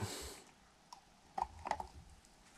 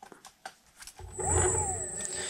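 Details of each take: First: Xiaomi M365 scooter hub motor with one phase deliberately disconnected, running on two phases: harsh growling surges with pitch swooping as it strains at start; in use this points to a loose connector or a burnt controller phase component. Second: Xiaomi M365 electric scooter hub motor running normally on all three phases: soft steady high whine over a low hum, not too loud, no grinding or clicking; healthy reference before one phase is disconnected.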